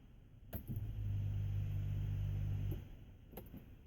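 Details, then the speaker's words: 1988 Honda Accord with intermittent no-start, fuel pump under 30 days old, heard from rear at key-on: low steady rumble for about two seconds before cutting off, also squeals when first keyed after sitting; cause unconfirmed. "i'm gonna do it again another click and it's a low it's a low rumble noise and this is pump's not that old"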